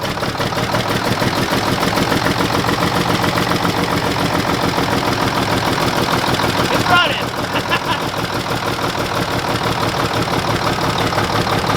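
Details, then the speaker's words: Mack truck diesel started on two jumpered batteries: lumpy, limping idle with one cylinder not firing; number six gets no fuel from the injection pump, which was being controlled by hand at the rack. "the reason it's run like crap it's number six he doesn't have any fuel coming out of right here"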